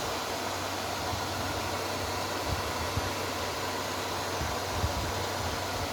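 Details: Repaired inverter welding machine powered up and working: a steady, even rushing whoosh from the cooling fan with no rattles or speed changes. The fan runs normally but masks the relay click.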